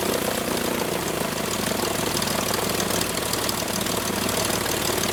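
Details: Franklin 165 aircraft engine test run after repairs following a blown cylinder: steady propeller drone with an even beat, no stumbling or dropouts, all cylinders pulling; running clean.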